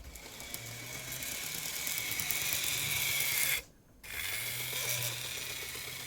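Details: Graham Farish N-gauge Class 50 model locomotive with Poole-type chassis: thin steady high squeal over the small motor's buzzing whirr, from drive shaft chatter; fix is changing axle gears on two axles and eliminating shaft chatter.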